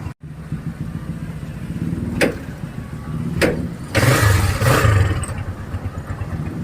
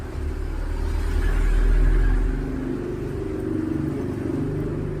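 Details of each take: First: Engine soaked by rain after a hard-starting fix, started without drying: catches straight away, settles to steady idle with a few clean throttle blips; normal start and revving. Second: Rain-soaked Barako, left unwiped, gives repeated low cranking pulses, about three a second, with no firing catch: a crank-no-start, possibly from wet ignition parts.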